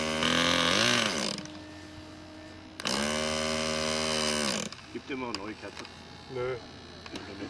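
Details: Model aircraft glow engine bursts into a couple of short revving pops, then dies back each time while being started. Hard starting blamed on a broken, burnt-out glow plug.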